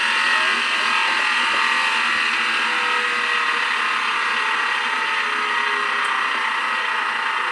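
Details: Used factory-refurbished Sears washing machine on spin cycle: loud, steady rushing roar like a jet taking off, with no clear knock; cause unknown, earlier power wire melted and a short in the washer suspected.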